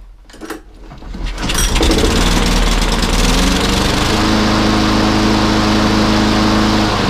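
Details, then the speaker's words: Lawnmower that previously started but soon stopped, after carburettor cleaning: picks up within two seconds and holds a smooth, even buzzing run at constant speed. Normal running. "Good show. She's a runner. Fixed it, Riley. All fixed."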